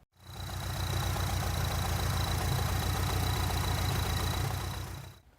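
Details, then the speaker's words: Mitsubishi 4G63 turbo petrol engine in the GSX donor car idling roughly before repair, its low throb pulsing unevenly instead of settling into a smooth beat. "as you guys remember it ran super bad this is what it sounded like before"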